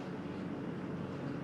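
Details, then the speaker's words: Dometic CFX3 55IM fridge: low even compressor hum with faint steady buzz, no knocks or rattles; quiet, normal compressor running. "yeah it's pretty quiet so far you kind of hear it humming that's the compressor you're gonna hear but pretty quiet"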